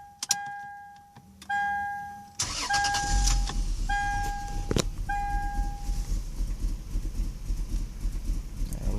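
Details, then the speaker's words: Lexus IS300 with code P1349: starts and idles normally cold, but once warm starts into a rough stumbling misfiring idle, shaking badly, with a chime sounding repeatedly. "Like I said, cold, it starts up normally, idles fine, but once it warms up, this is what it does."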